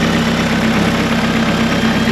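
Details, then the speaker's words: Big-turbo Astra VXR (Pulsar turbo, MAF unplugged, reprofiled cams, solid flywheel), first start in months, idling over five minutes: loud, lumpy, choppy cam idle with solid-flywheel rattle and a squeaky alternator; normal lumpy cam idle. "This is the cams on this have been reprofiled as well, so it's been ticking over now for at least 5 minutes and it's settled down. Love the cam sound, man. It sounds awesome."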